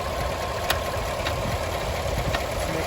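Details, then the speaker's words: 2017 Chevrolet Silverado High Country 6.2 after AFM lifter replacement, motor warmed up. Faint, irregular light tick about every half second over the idle hum, present only when hot and even after shutoff; suspected cooling restriction from defective or backwards head gaskets. "making a noise. It's not yet, please. So go ahead and turn it off. It's still making a noise after the motor's off."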